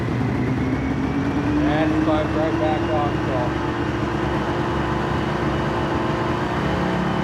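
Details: Polaris Ultra two-stroke watercraft that sat in the sun: fast, steady idle drifting upward, too high, comes down when choked. Owner hopes for dirty carbs and fears crank seals; the choke also needs fixing.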